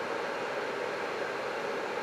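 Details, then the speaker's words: Creality CR-10S 3D printer after fan replacement and cooling duct mod, camera near the power supply: steady, even hiss of rushing air with a soft hum from its fan; owner suspects the cramped enclosure with misaligned bottom vents restricts airflow. "The one thing I'm not too keen on is this power supply is still a little noisy. You can still decently hear it."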